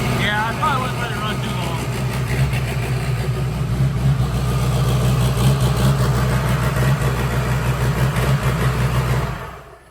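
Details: Freshly built diesel mud truck on its first startup: after a rough catch, a deep steady low rumble settles into an even idle before shutting off; normal idle of the fresh engine.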